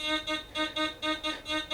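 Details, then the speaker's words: Gold Finder GF2 metal detector with 11-inch DD coil in a depth test on an 1875 5-pesetas coin: a clear, bright warbling tone pulsing about four times a second over a quiet background, heard at 15, 17 and 19 inches and faintly at 20; a target tone. "15 inches, good. 17, good. 19, okay, you can hear it at 19. 20. I mean, you can hear it at 20. 19. 19 inches."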